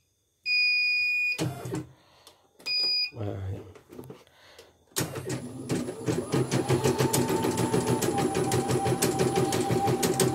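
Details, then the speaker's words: CNY portable embroidery machine after repair of skipped stitches and heavy rotation, needle and presser foot heights set: a few beeps, then steady even stitching about three per second, thread pulling smoothly without jerks; normal running. "tarikan benang nih, kalau lancar tarikan benang ini enggak tersentak-sentak ya."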